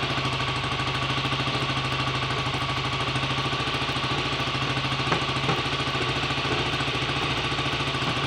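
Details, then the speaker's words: BSA A65 Lightning twin, first start after a full rebuild with a replacement crank, fixing 1.5 mm crank end float and timing-side bush play; carbs roughly set: even, crisp twin tickover, no knocks or rattles; normal idle. "okay that's not bad at all for a first attempt"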